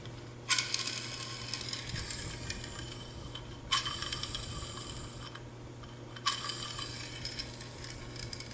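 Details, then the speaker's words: Reassembled gearbox with top plate on; hand-spun gears give a light, even ratcheting whirr that fades out freely, same on both sides, no binding or crunching; normal gear mesh. "sounds the same on both sides moves very freely"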